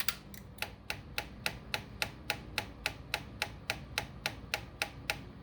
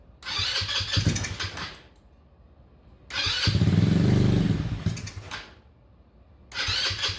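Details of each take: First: Honda Ruckus that died and wouldn't restart, with the key cycled on: sharp, even clicking at about 3.5 per second from the fuel pump, but the clear fuel line fills very slowly; weak fuel pump. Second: Honda Ruckus after replacing the failed fuel pump with an OEM Honda pump and priming the line: several cranking bursts, then the single-cylinder engine catches and settles into a steady putter. It starts and runs normally now.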